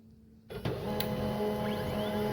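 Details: HP LaserJet 1020 printer after fixing its grinding noise: smooth, even whirr of feed gears and rollers with no grinding or clicking; running normally.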